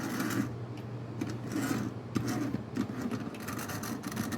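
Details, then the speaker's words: Tyco model locomotive, first run after a push start, a little dirty: light buzzing motor whir with soft clicking, no stalling or binding; sounds pretty good, should run well once cleaned. "Well, they're just a little dirty. But they run. That one sounds pretty good."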